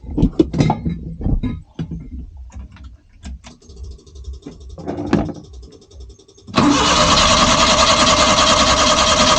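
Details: Suzuki Multicab that previously only cranked without starting, after carburetor refitted and fuel supply reconnected: brief handling clatter, then the engine catches at once and settles into a steady even run; starts normally.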